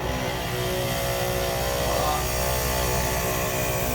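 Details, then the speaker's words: ARB twin 12-volt on-board air compressor, newly installed on a 2014–2018 Chevy Silverado with air hose attached, first switch-on: loud, steady motor drone with an even buzzing hum throughout; running smoothly. "It worked. We did it!"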